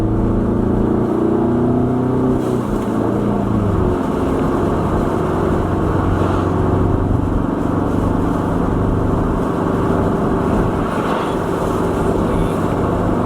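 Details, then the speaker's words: Ford EcoBoost Mustang test drive after a Tornado kit install and Turbosmart blow-off valve adjustment: steady road drone lifting off around 3,000 rpm with no fluttery chatter; the blow-off valve vents cleanly, no turbo flutter. "like oh at 3 000 it's not fluttering so that's good i can let go of the gas easily like right here is normally where the car would flutter but it's not"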